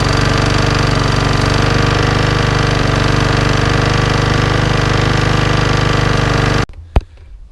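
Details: Small lawnmower engine, serviced but no better, smoking from the air filter and exhaust with surging revs: it idles roughly with a hard, rapid internal knocking, then shuts off. Owner suspects the engine is terminal. Not confirmed.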